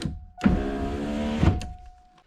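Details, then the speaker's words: Ford Thunderbird driver's side power window after replacing worn window motor assembly bushings with Supercoupe Performance kit: about one second of smooth even motor whir ending in soft stop; healthy, fast window. "Nice. That's a fast window. Perfect."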